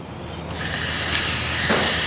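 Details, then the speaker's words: ATV two-stroke carburetor leaking fuel, air blown through the fuel inlet by hose. Soft steady hiss as air passes the float needle valve with the float down; raising the float closes the valve and shuts off flow. "se escucha que hay ahí de verdad o sea porque el flotador está abajo"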